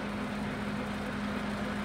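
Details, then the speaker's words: TOS FO-6 mechanical gear hobbing machine (6 module, 600 mm): hobbing head on rapid motorized vertical travel, no noise in rapid travel; steady constant-pitch motor hum, no grinding, clicking or whine changes. Normal running. "Rapid travels में भी कोई आवाज नहीं है. ठीक है, नीचे की तरफ रैपिड."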